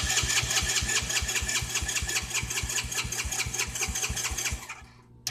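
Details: Four-wheeler ATV that won't start properly: catches and chugs unevenly at about two to three firings a second, then bogs and shuts off within five seconds.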